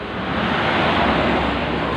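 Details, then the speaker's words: Honda Vario 125 scooter, rear wheel spinning: loud rough gravelly roar from CVT; worn pulley bearings, likely driven pulley bearing or front pulley. "untuk Vario 125 ini suaranya kasar sekali. Jadi kalau diputar roda itu kasar sekali suaranya."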